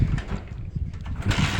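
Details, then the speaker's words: Bajaj Discover 150 with a pickup problem (wouldn't rev, kept stalling), started after refitting a coupler and adding a body earth wire: engine fires and holds a steady idle, picks up cleanly on throttle, no stalling; bike now fixed. "देखिए दोस्तों bike हो चुकी है start और throttle खूब अच्छा हो चुका है दोस्तों।"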